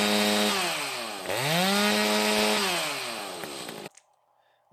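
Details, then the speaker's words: Echo 590/620 60cc chainsaw, high needle all the way in, revving to a high whine with a strong burbling four-stroke around 12,000–12,500 rpm at wide-open throttle; it is still running very rich. "you can still hear it was really strong four stroking at about twelve five it almost would rev up to twelve five but between 12 and 12 5 you're super rich still"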